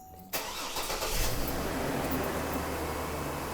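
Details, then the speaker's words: 2005 GMC Envoy 4.2 L inline-six Vortec after replacing the idler pulley that caused a whine: petrol engine catches quickly and settles into a steady, even idle with no whine from the belt. "the engine sounds beautiful no weird whining noises and you can see that pulley down there is working perfectly"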